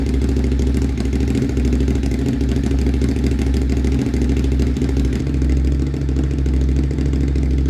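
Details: Motorcycle just fitted with an SC-Project CRT exhaust, joints sprayed with water for a leak check: steady, deep exhaust note that picks up cleanly with throttle, no puffing or ticking; no leaks, runs healthy.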